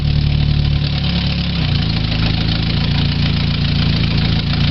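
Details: 2000 Chevy Tracker 2.0 started after timing chain replacement: brief stumble, then a steady, even low idle with no knocks or rattles. It runs properly.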